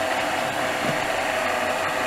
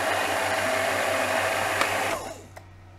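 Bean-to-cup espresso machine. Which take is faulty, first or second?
first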